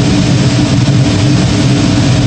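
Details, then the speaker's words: Gas power burner on one of two ganged steam boilers firing after ignition and ramp-up. New 24" Field barometric regulator holds final draft at -0.03 in. water column as the stack heats. Deep, steady roar, even low rumble, no pulsing or puffing; clean firing. "you should hear the uh tropper ignition and the boiler ramp up and there we go so responded very nicely"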